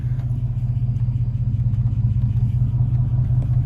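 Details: Mercedes S55 AMG V8 running again after sitting about a year and five months, after no-start no-crank fixed by replacing the EIS; steady, even low hum with smooth pulse, no knocks or misses; normal idle.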